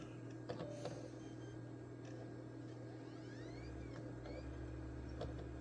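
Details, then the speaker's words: Damaged, warped PS4 on power-up with no video signal: quiet steady low hum with a faint whir, no clicking or scraping; optical drive spinning with a disc loaded. "That one sounds like it's got a disc in it."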